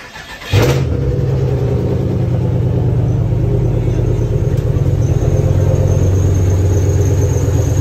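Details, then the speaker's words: GM 5.3 LS4 V8 Grand Prix GXP after transmission reinstallation and refill, sitting a couple months: cranks and catches within a second, settles into steady even idle with no misses; normal cold start. "And of course, after a test drive, so let's see if it starts up on the first tap. It's been sitting for a couple months now."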